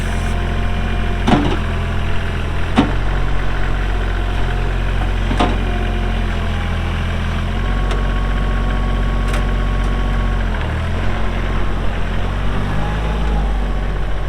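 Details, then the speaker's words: Kubota L3240 4WD tractor, pre-emissions 32 hp diesel, 94 hours, gear drive. It starts and runs very well, with a steady, even idle and a smooth low rumble, no knocks or misses; normal idle. "Does start up and run very, very good."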